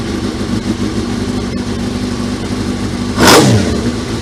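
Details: Suzuki GSXR 1000 streetfighter build, start after reconnecting the fuse box with throttle bodies open: steady low engine murmur, then one sharp throttle blip rising cleanly and dropping back; fires and revs normally.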